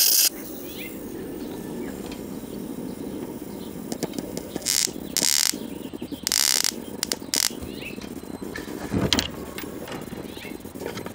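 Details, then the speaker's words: 1969 RCA KCS178A black-and-white portable tube TV, recovered from a desert dump, arcing through a cracked part near the yoke: sharp irregular snapping crackles over a low hum, with a corona smell. "so what's going on here is it arcing inside here this is cracked"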